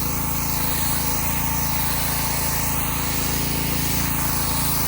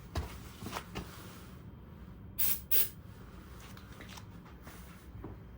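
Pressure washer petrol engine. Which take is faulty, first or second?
second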